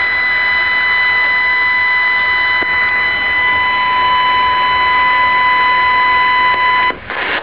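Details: New Sangean ATS-909X radio on MW band around 888 kHz with internal ferrite antenna: steady high whistle with even overtones over soft static; stops with external antenna; noise from inside the radio, owner suspects display circuitry.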